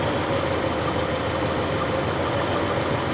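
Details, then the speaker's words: 1987 Mercedes 420SEL V8 at auction: initially a little whiny, then evens out into a smooth, steady low idle hum with no knocks, misses or ticks; healthy engine. "She is a little whiny. Let's just see. There, now she evened out."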